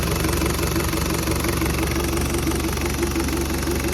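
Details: Toyota 1KZ-TE diesel, first start after new injectors, cleaned intake manifold and throttle body, turbo downpipe refitted and oil return pipe changed, fresh 15W50 oil, fuel lines bled: steady diesel clatter at idle, even rhythm, no misses; normal idle.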